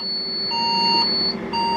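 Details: Old Saturn server tower case, switched on with only one of its redundant power supply modules connected: loud, high, piercing alarm in repeated half-second blasts; redundant power supply failure alarm.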